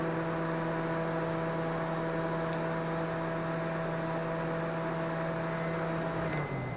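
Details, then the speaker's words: 2009 Honda Civic, engine off, relays pulled except blower motor relay: blower motor hums smoothly at constant pitch, stops when relay removed and resumes when reinserted; normal blower motor operation. "blower motor stopped let me push it back in the blower motor's on now"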